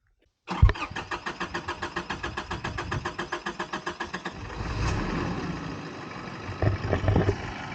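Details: Overland motorhome with engine temperature reading 99 degrees after a stop: starter churns at about six even beats per second for nearly four seconds before the engine catches and settles; recurring hard hot start.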